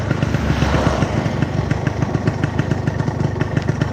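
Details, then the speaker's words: Yamaha RX King two-stroke brought in as weak on hills and at high revs, exhaust already replaced: steady, even pop at idle with no misses, rattles or hunting; idles healthy. "ini suaranya knalpotnya udah diganti ya"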